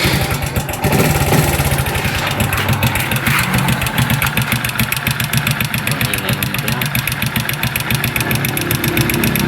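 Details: Honda XRM 125 before overhaul; loud, busy mechanical clatter on idle rising with each throttle blip, engine far too noisy, cause unknown.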